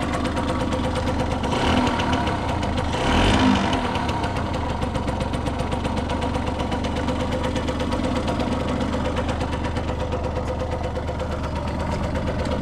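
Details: Restored 1989 Yamaha YSR50 two-stroke 50cc, 198 original miles, cylinder fogged in storage, premix oil added: quick start-up, even idle with a couple of crisp throttle blips, no rattles; sounds brand new.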